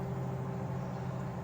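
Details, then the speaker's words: LG inverter microwave, repaired after clicking and no heating (shorted PCB high-voltage diode cited as cause); steady low buzz with even hum, no crackle, heating normally. "So everything has normalized. That's it. Can you hear the buzzing?"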